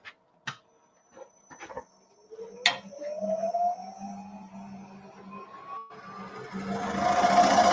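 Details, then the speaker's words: Wood lathe: low hum under a rising, singing squeal as a small-bar tool overhanging the tool rest bounces and chatters against spinning wood; fix is repositioning the tool rest. "hear that chatter means I've got since it's such a small bar on the tool it's overhanging the tool rest a little bit and you know little bounce to it so I'll reposition my tool rest and then I can continue that cut right there"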